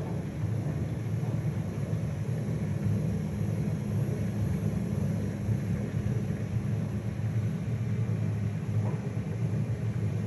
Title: Privileg washing machine noise